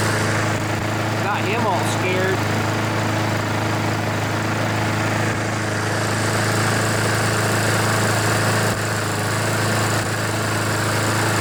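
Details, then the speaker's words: Junkyard mower with a Honda GCV engine; its air filter was oil-soaked and it smoked. Warming up, still needing some choke, it holds a steady, even drone with no misses or knocks while the excess oil burns off and the smoke clears; runs normally. "eventually it'll stop smoking when it heats up it burns all the oil out and eventually it'll stop smoking"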